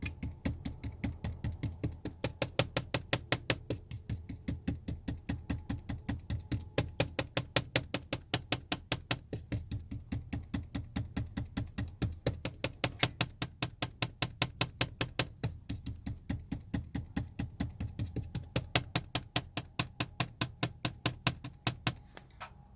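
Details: Moving car interior: sharp uneven plastic clicks, two or three a second, over low road rumble; rattle from a seat trim piece.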